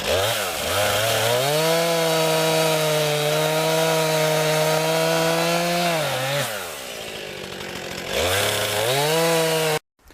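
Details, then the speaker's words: New 50cc chainsaw cutting firewood on a cold day, strong steady high-pitched two-stroke scream holding under load, dipping off the cut and revving cleanly back; owner notes lots of power for only 50cc, cuts well, not heavy: healthy saw. "folks my first impressions is it has a lot of power for only fifty CC and it cuts pretty good for sure and it's not really heavy"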